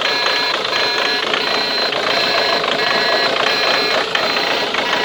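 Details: Ford Mondeo Mk3 TDCi diesel at idle: a sharp metallic tick repeating steadily, a bit under two per second, from the injector area. Cause undetermined.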